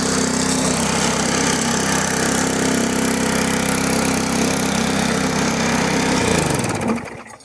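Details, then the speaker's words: Damaged, neglected push mower after the control cable was repaired: the small engine holds a steady, even beat for several seconds, then winds down cleanly when shut off, running normally. "Everything's working now as it should."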